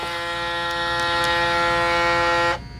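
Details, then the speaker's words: Braun Series 9 PRO+ shaver in its 6-in-1 base during automatic self-cleaning with solution, shaver head switched on: steady buzzing hum at constant pitch about two and a half seconds, then cuts off as the cycle pauses normally. "And this is all automatic. It'll stop on its own. So it kind of stopped for a little bit, then it starts back up again."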